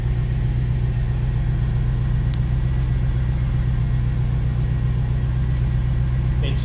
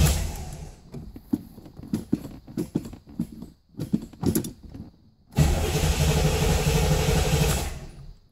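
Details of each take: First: 1987 Chevrolet Corvette C4 V8 that sat 25 years, after fuel pump work: steady, even low rumble with no misses, knocks or surging. Normal, healthy idle. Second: 1987 Chevrolet Corvette C4 that sat 25 years, new battery fitted, security light off: the starter churns the engine over steadily but it never fires. Crank-no-start.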